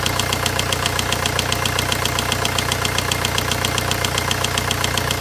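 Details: VW 1.9 diesel engine: sharp, regular ticking knock about two and a half per second riding over a steady idle, clearly audible above the clatter; engine knocking.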